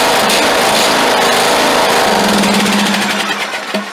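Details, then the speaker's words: Craftsman LT2000 lawn tractor, cranked for the first time in years after freeing a seized throttle shaft and plate: even, rapid firing at steady speed with no knocking, smoke or misses before it winds down; normal running. "Well, we got a good engine. That thing don't knock, don't smoke, don't do nothing."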